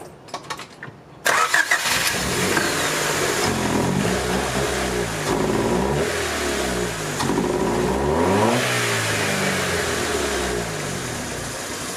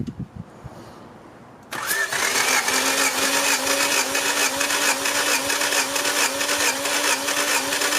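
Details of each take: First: 1990 Honda Civic Si after a clutch job: it starts, then revs rise and sag unevenly, stuttering under throttle. This follows swapping two white distributor wires and fixing a butt connector. The distributor is suspected, but a new one didn't fix it; timing may be one tooth off. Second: 1990 Honda Civic Si, engine warm, cranking compression test: starter engages, then a steady cranking whir with even pulses about twice a second and uniform compression; cylinder one about 160, the rest around 150, so compression is not the issue.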